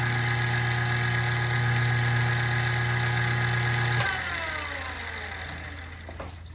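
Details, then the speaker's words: Old kitchen trash compactor, back open, running continuously after overstuffing; steady unloaded motor hum, then clean switch-off and spin-down; drive chain popped off its sprocket. "See, it's a simple drive motor with a chain. And that little chain turns this large chain at a very high torque ratio. Big pulley to small pulley to big pulley. So the chain popped off."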